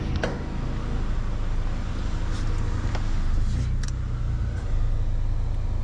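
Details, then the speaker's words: 1994 Honda Accord, 256,000 miles, after repair of surging high idle, valve reinstalled; heard from inside the cabin: low, even idle rumble holds steady, no hunting or surging. Normal idle. "Hopefully we're good to go. Wow guys, the idle looks really good."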